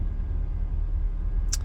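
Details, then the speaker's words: 1993 Chevy Beauville van, 350 V8 with 4L60 four-speed automatic, stopped at a red light: low steady rumble without knocks, ticks or misses; idles smooth and quiet, normal. "here I am at the red light it's it's idling real smooth it's very quiet"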